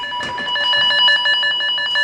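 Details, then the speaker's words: Cable tone tracer: the tone generator is on the de-energized cable, and the contactless probe follows it up the cable tray toward the cold room. Loud, steady warbling beeps at about seven or eight a second with no dropouts show the probe is still on the traced cable. "Voilà, là tu es toujours bon, là tu peux avancer. Donc là tu es toujours bon, tu l'as toujours."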